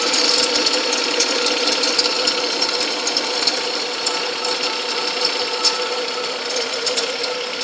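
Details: 2003 Cadillac CTS engine bay: irregular light ticking and ratcheting clicks over hissy whirr, coming and going, from the accessory belt area; cause unknown. Intermittent ticking noise from accessory belt area.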